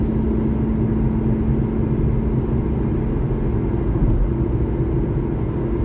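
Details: 2012 Honda Civic LX sedan cruising; steady low rumbling drone under road noise with faint hum early on; owner suspects bad driver-side front wheel bearing, unconfirmed.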